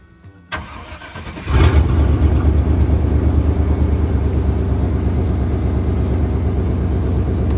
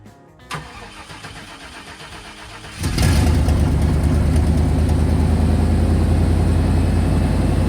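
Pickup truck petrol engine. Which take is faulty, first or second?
second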